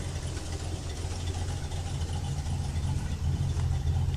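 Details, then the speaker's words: 1977 Ford Ranchero GT, 5.8 L 351 Windsor V8, Comp cam 264/270 .513 lift, Holley 350 CFM 2-barrel, FMX automatic, warmed up at idle: deep, uneven loping rumble with slightly irregular beat from the cam; lumpy idle. "She's got a cam in her. You can hear it. I love the sound of it."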